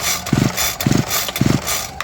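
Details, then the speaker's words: Homelite UT32605 line trimmer, spark plug out, compression gauge fitted, about 10 pull-starter strokes: quick rattling pulls turning over evenly against firm compression; reading 150 psi holding steady, great compression, no cylinder or piston scoring. "The reading is 150, and the needle is not going down. So that tells me that we have great compression in the cylinder."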